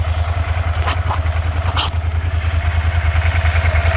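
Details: Suzuki SV650 V-twin, first start, old oil still in: steady, even idle thumping at a regular beat with no knocks or misses; some smoke possibly cleaner burning off rear header; engine running healthy.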